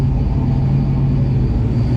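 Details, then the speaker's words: Ford Bronco at idle after exhaust leak repair, just a loose flange bolt, manifold not cracked: deep steady rumble, even beat, no ticking or puffing from the exhaust; idles cleanly. "So all that worrying about a cracked exhaust manifold, and it's not cracked. It's fixed again."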